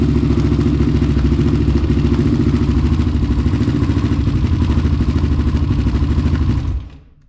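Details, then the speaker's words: Honda 400EX race quad with a 450 carburetor and a new HMF Competition Series exhaust, first running after the rebuild, recorded on a GoPro: single cylinder thumps at a steady idle with a deep, growly exhaust before shutting down. Runs healthy. "Okay guys, well, as you can see, it runs and it sounds pretty dang good."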